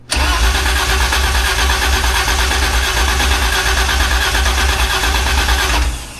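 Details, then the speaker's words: BMW E30 project, first crank in almost two years, fuel pump audible, spark not yet enabled: steady, quick, deep cranking for six seconds without firing. Battery and starter turn the engine over well. "First time in well over a year now. Almost 2. That cranked really good."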